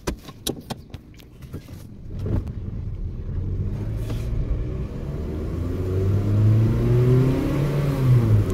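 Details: 2007 Toyota that had a misfire, poor pulling and strong petrol smell, revving after a known-good oxygen sensor was fitted: a few clicks, then a smooth, even rise in pitch with no stumble; the problem was confirmed as the oxygen sensor.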